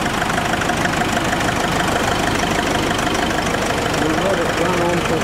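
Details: Diesel, after a new alternator (alternator bearing had squealed), idling about five minutes on a chilly day: steady even clatter, no belt squeal or chirp; engine and belts sound healthy.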